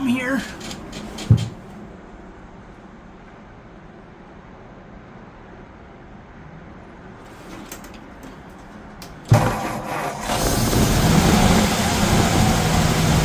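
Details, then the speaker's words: 1951 Ford F1 flathead V8 just started after sitting over 20 years: after a quiet stretch it catches with a bang and settles into a steady, even idle; sounds healthy, though an oil leak is noted. "It's actually idling. Nice."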